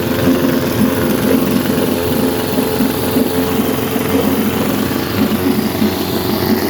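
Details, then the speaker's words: 1952 Scott Atwater-built Firestone 10hp two-stroke outboard, converted from gravity feed to fuel pump, cold day, pumping water well: steady fast idle with busy rattle and occasional spits, lean sneeze; owner suspects top crank seal, may replace original diaphragm. "good got a lean Snee this might be the top crank SE I'm waiting for that to come from a guy in watching her uh Wisconsin"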